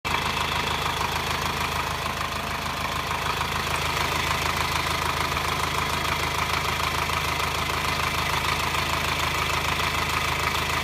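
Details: 2009 Subaru Forester diesel at idle, engine hot: fast even metallic clatter about three taps a second; occurs only when hot at low rpm and on acceleration, worse in hot weather, absent cold; runs fine otherwise, cause unknown to five mechanics.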